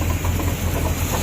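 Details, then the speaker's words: 1982 GMC Jimmy 4WD, 350 V8 of unknown history, timing set, earlier miss: deep, uneven idle loping a few times a second over a steady rumble from a fairly big cam; otherwise running fine. "this is correct now you hear it's got a pretty good cam in it"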